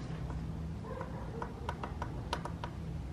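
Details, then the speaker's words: MK7 Golf GTI, engine off, turbo being removed for an IS38 upgrade. Loose metallic clicks and taps as the worn turbo's wastegate is moved by hand. The turbo has a lot of play and had whined heavily. "It's got quite a bit of play, and the wastegate rattles quite a bit."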